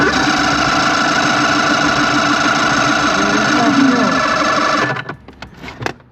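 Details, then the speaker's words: 1993 Evinrude 90 hp V4 two-stroke outboard with throttle linkage out of adjustment: steady fast cranking whir for about five seconds with no firing; has spark and compression but definitely not getting fuel, linkage suspected. "Pump it. See if it It's definitely not getting fuel."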